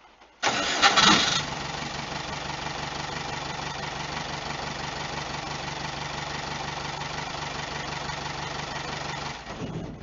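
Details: VW T3 with a 1.9 mTDI engine and a newly fitted Bosch VE injection pump from a Peugeot Boxer 2.5 TDi, prestroke set to 4.4 mm, glow plugs triggered manually. Short crank, then the diesel catches cleanly and runs with an even clatter and a little smoke.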